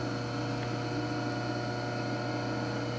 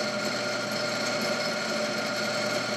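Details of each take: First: Clausing 5913 lathe variable speed drive, new belts, hydraulics bled, lathe not bolted down: steady low hum with fine constant vibration felt in floor; owner suspects upper belt when clutch engaged. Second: Clausing 5913 lathe variable speed drive, belts removed: motor run alone to isolate headstock vibration gives an even, steady hum with clean high whine and very little vibration, so motor is not the cause.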